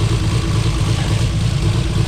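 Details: Built 2JZ-GTE in a 1995 Supra on EFI, fresh oil change, oil pressure 40 psi: heavy lumpy idle with uneven exhaust thump as one cylinder drops out; dead-cylinder misfire, owner feared serious internal problems.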